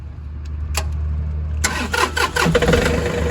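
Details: John Deere 4105 diesel tractor with the thermistor bypassed by a momentary switch that energises the plunger pull-in coil, switch pressed before the key: a few clicks, short crank, catches at once into steady idle.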